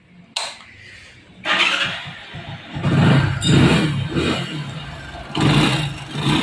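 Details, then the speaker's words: Hero/CD Deluxe bike after replacing the faulty starter one-way clutch with loosening nuts: fires after short crank, revs and settles several times with a clean note, starter-side noise gone. "दोस्तों आप देख सकते हैं गाड़ी के अंदर बिल्कुल भी साउंड नहीं है किसी प्रकार का किसी प्रकार का साउंड नहीं है गाड़ी के अंदर"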